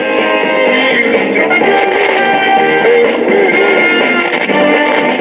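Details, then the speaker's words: 1962 Philharmonic tube console stereo phonograph playing a guitar record: very distorted, harsh, fuzzy and dull, with the treble gone; a defect in the amplifier or a bad cartridge is suspected, cause undetermined. "like it could be a defect with the amplifier or a bad cartridge."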